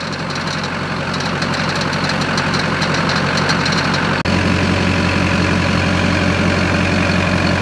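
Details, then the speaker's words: Squarebody with Duramax diesel swap at idle: an uneven clattery rattle comes and goes whenever the belt tensioner moves. Earlier suspected a low water pump; belt tensioner rattle found, likely needs replacing. "I found the noise filament broll see if it does it any anytime the tensioner remov moves that noise happen I'm not going to do it again huh saw you do it I saw you do it yeah I watched it anytime it goes it like rattles so I may need a new belt tensioner"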